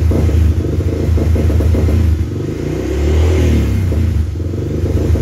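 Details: 2000 Honda 300 4x4 ATV that won't accelerate past 2000 rpm before backfiring and sputtering: revs climb under steady part throttle, then sag and stumble with a choppy exhaust. Owner suspects electrical (voltage regulator or CDI), not carburetor; it starts well.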